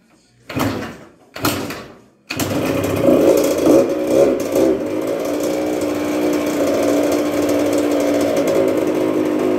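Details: 1996 Yamaha YZ80 80cc two-stroke, first start after a full rebuild, choke on, primed from dry: two kicks and it catches, then a crisp buzzing idle with brief blips that settles steady, running healthy.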